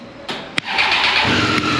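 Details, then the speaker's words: 2018 Triumph Street Triple 765 RS at 20,000, started after tightening four loose valve cover flange bolts; a sharp click, then it catches quickly and settles into a clean, steady run, the rattle gone. "É isso aí galera resolvido o problema aí galera"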